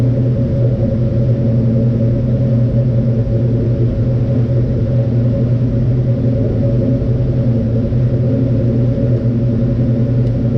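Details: 1967 Mustang Fastback V8 on its existing mufflers, heard before Flowmaster mufflers are fitted: deep, even idle rumble, smooth and steady with no misses or ticks; healthy exhaust note.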